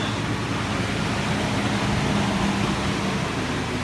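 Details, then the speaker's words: 2003 Nissan Frontier 3.3L V6, 5-speed manual, 170,000 miles, idling just after new distributor cap, rotor button and plug wires: steady, even, smooth low rumble, no stumble or miss; no longer lumpy as before, running as it should. "Man, that sounds a lot better. Like it's supposed to. Yeah. It's not lumpy like it was. Man, that's smooth."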